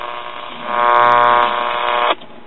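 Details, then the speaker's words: Dynavox wireless record player transmitter, first power-up after filter capacitor replacement and warm-up, turntable motor off; steady buzzy hum swells in, holds, then cuts off; normal carrier reception. "yep there it is so we have a carrier"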